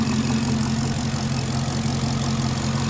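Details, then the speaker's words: 2016 Chevrolet Caprice after repair of rough running (codes P0208, P0300, U0401, B1517, StabiliTrak fault; owner suspected body/engine grounds), 6,081 engine hours: steady, even idle with smooth low rumble, no misses, ticks or stumbles; runs much better, sounds fixed. "I'd say she's fixed. But she runs a lot better too."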